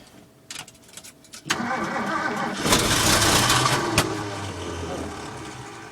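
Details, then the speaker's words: Ford F-350 cherry picker hard start, primed: slow broken cranking, catches with sharp pop and spitback, surges and fades instead of settling to idle. "She has some spitback [ __ ] [ __ ] I know Maybe maybe they don't like Gatorade."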